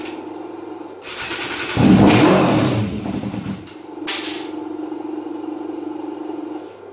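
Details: 1997 Yamaha YZF600 Thundercat that had sat in a shed and wouldn't start: cranking, then it catches, revs hard and drops to a steady idle once fuel reaches it. The no-start was a fuel supply problem.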